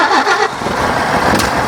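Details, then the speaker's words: Nissan G60 Patrol after years sitting as lawn ornament, first start with a little more fuel: engine catches and revs unevenly, surging and sagging, won't settle to idle; runs but poorly. "Woah. Not a very good runner, but it is a runner."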